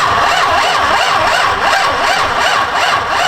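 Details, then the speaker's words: Nissan 350Z wired from scratch with Megasquirt and a high-torque starter: it cranks slowly in a labored, uneven rhythm of about three pulses a second. The trigger wire lacks current, so a relay is planned, and a missing chassis ground is suspected. "wasn't cranking fast enough but it was definitely cranking yeah it's a high torque start"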